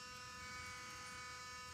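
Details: 2016 Ford F-250 Super Duty 6.2L V8 after shutdown: quiet steady electrical-sounding hum at a fixed pitch, no engine beat, coming from under the truck.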